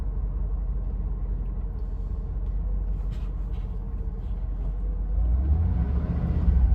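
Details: 1988 Mercedes-Benz 560 SL, warming up after a cold start, water temp just rising, oil pressure still great: low, even idle rumble with a smooth steady beat, no misses or ticks; normal idle.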